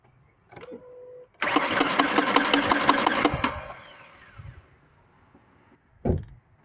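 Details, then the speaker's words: 2008 Ford Explorer 4.0 SOHC: engine fires and runs about two seconds with a fast, harsh metallic clatter, then shuts off; broken timing chain suspected, to be confirmed on teardown. "confirmed sounds like a broken time and change just give you a quick video what's going on"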